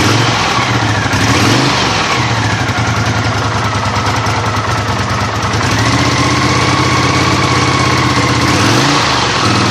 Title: Honda CX500 rough idle